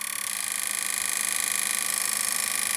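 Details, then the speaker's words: Kenwood R-5000 receiver that arrived totally dead, powered from a bench supply as voltage is raised: harsh, hissy audio with a fast rough flutter. Distorted because too little supply current was dialed in; it works once power is sufficient. "does not really sounds very good so that could potentially mean that there is another problem but maybe it is too less current which has been dialed in"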